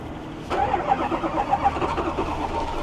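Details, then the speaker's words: Ford F350 diesel with a dealership-installed new engine, started cold after glow plug cycles: it catches suddenly and runs rough and uneven with heavy smoke; hard cold start pointing to air in the fuel line. "This definitely is exhibiting a terrible uh cold start condition."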